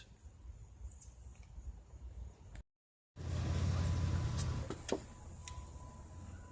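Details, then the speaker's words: 2008 Chrysler Town & Country Touring that only clicked when the key was turned: after cleaning the battery posts and jump starting, the engine catches and settles into a low, steady idle with light clicks; normal idle, fault was dirty battery posts. "there we go so it was just a matter of the post needing cleaning having to clean the post"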